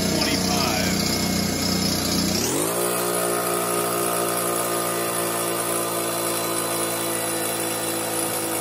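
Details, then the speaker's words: Fortress 5 gallon air compressor after pressure switch replacement (part #56402): busy clatter stops abruptly as motor winds down to a quiet hum, shutting off at 225 psi as it should; normal pressure cutoff. "all right there it goes shut off at 225 just like you should"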